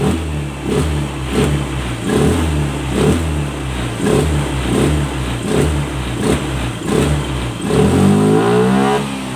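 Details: Honda Scoopy FI injection scooter after full service, CVT upgrade and setting, previously late throttle and sluggish pull: engine picks up instantly on each of about a dozen blips and drops straight back; throttle response now crisp and healthy.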